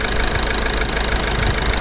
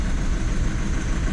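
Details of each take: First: Diesel Skoda Octavia that had a P0201 misfire, idling after the faulty injector was replaced and coded in: steady, even diesel clatter with no stumble or missed beats, all cylinders firing smoothly. Normal diesel idle. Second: Diesel Skoda Octavia towed in with engine light on: lumpy, uneven idle misfire. Code P0201 (injector circuit open, cylinder 1) returned after clearing, and a faulty injector was confirmed and later replaced and coded in.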